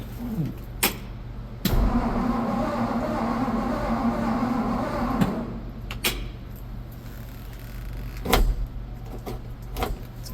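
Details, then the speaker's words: 1963 Ford F100 engine being revived after sitting, valve cover gaskets replaced, full choke with gas given: starter turns engine over a few seconds with no catch; cranks but won't start, owner suspects no spark. "Let's try a little more gas. I probably don't have any spark."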